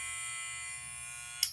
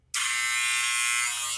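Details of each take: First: Barber's clipper running after its button was calibrated with the clipper on to remove an odd noise. An even, loud, steady buzz with no rattle before it clicks off; the motor is healthy, and these clippers are normally noisy. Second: Barber hair clipper running out of adjustment, shrill steady high buzz that wavers midway; setting its adjustment button while it runs cures the odd noise, leaving normal clipper noise.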